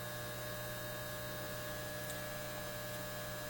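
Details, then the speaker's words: Repaired Lambda power supply on a BK Precision 8540 electronic load, output rising toward 18 amps around 75 watts: constant low angry mains buzz with steady overtones from its transformers; owner suspects rust on the laminates; loud transformer hum under load. "there is an angry buzzing sound and that's coming out of the lambda and we heard that increase a lot when we were doing high currents that sound is coming from the door transformers"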